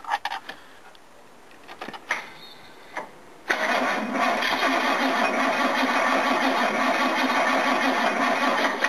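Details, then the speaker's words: GMH 308 V8 started after a long cold winter, carburetion tuned for winter: scattered cranking clatter for about three seconds, then catches into a rough, uneven run; engine flooded itself on start. "Yeah, it just flooded itself. I've got it tuned for winter."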